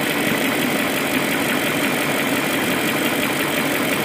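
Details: BMW M62B44TU V8 at idle with stock exhaust: constant dense metallic chatter sits over the idle with little bass underneath, pointing to a loose timing chain; the chain tensioner is later replaced with an INA aftermarket part (BMW 11317531813).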